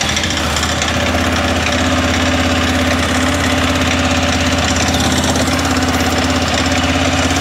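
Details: 2006 Arctic Cat 400 ATV just after its flywheel rotor was replaced to cure a no-spark fault. It fires right off and settles to a steady single-cylinder idle with light top-end clatter, a little noisy because the oil was drained. Runs fine.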